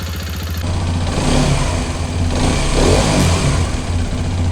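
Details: Hero Xpulse 210 single-cylinder after tappet noise adjustment: settles into an even idle, revs cleanly and drops back with no tapping over the exhaust beat; healthy.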